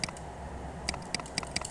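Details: Mechanical keyboard key pressed on a keyboard tester while checking which switches double-click or fail to respond, before cleaning; crisp separate clicks about a quarter second apart, no chatter or scratch; this switch works fine.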